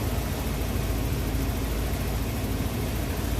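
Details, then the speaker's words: Van after repairs, just restarted: low steady idle with an even rumble and no knocks, misses or surges; engine runs smooth; normal idle. "ready sounds good everything looks good I believe we did a good job man I know I'm filthy Oh Motors run smooth sounds good"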